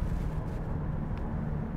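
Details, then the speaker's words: 2001 Lexus LS430 with 628,000 miles, driving at road speed with the transmission still cold: a steady low rear drone under the tire roar that changes when turning right. This is a worn left rear wheel bearing. "I immediately hear a wheel bearing noise feel like from the back"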